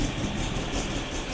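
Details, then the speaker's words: BMW E30 M10 engine that suddenly misfired and shook after about 5 km of driving, won't rev at any rpm; lumpy shaking idle with uneven stumbling beat. Misfire later traced to distributor rotor fault and wrong plug lead order. "Jadi ini mobil jalan normal ada sekitar 5 kilo gitu tiba-tiba brebet getar banget. Dari RPM berapa pun digas juga enggak bisa."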